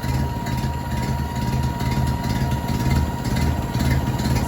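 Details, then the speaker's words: 1930s Ford truck engine, first run in over 70 years on a jump box: low, even idle with a steady pulse about two a second, no knocks or misses; water pump sounds a little dry, needs grease. "let this thing run for a minute pump a little grease in the water pump the water pump sounds a little dry but man it sounds pretty decent"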